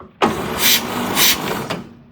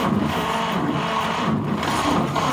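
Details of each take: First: 1946 Chevy pickup straight-six, sitting since late 1980s: starter catches straight away and cranks with quick, even turns after repairing a ripped starter feed wire; starter circuit now working normally. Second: 1946 Chevy pickup straight six, sitting in a barn since the late 1980s, first start attempt: steady starter cranking with only the odd weak firing pulse; barely catches, consistent with an exhaust valve stuck open.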